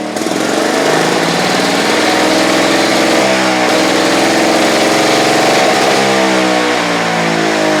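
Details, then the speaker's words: Victa Pro 550 Mulcher two-stroke mower, over-revving; later traced to the cap on the back side of the carburettor: high, steady, slightly hunting scream well above normal idle. "So folks, I adjusted the throttle lever up here. However, that really didn't solve the problem with the mower over revving."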